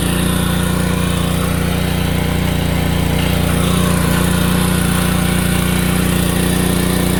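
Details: DeWalt 3200psi 2.8gpm pressure washer with Honda GX200 engine, after carburetor clean for start-then-die and surging after a year's storage, running with choke and water hose attached: steady, even drone, no hunting or surging; normal running.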